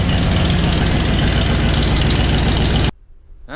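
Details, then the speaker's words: Ford Bronco running after sitting about a year: it stumbled a little on startup but fired. Smooth, even idle rumble with no misses or knocks, running fine. "here she strutted a little bit on that startup but she fired he runs smooth purrs like a kitten"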